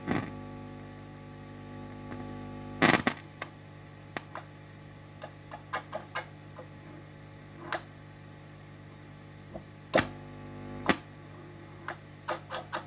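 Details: 1968 Twin amplifier: steady low hum under scattered handling clicks and taps; owner checking ground points and the shielding, planning to resolder it; cause unconfirmed.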